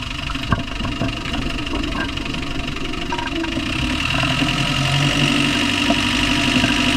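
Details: Land Rover Discovery 1 300Tdi diesel at steady idle: an uneven tapping knock of about four per second rides over it. The source is not pinned down; engine knocking.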